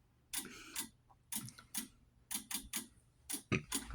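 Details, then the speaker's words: Wheelock DSM-12/24 sync module during a fire alarm system test: sharp relay clicks in quick pairs and triplets about once a second, matching the strobes' double flash; odd but normal. "And if you can hear, you'll hear the DSM clicking away. Yes, this does do that double flash and the triple click down there. It's weird, but it's fine."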